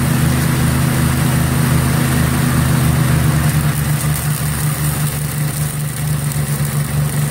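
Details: 1963 MTD Lawn Flite lawn tractor after ignition rebuild, mowing: small single buzzes fast and hard, beat barely dropping under load; overspeeding, owner says throttle and governor aren't right, throttled all the way down.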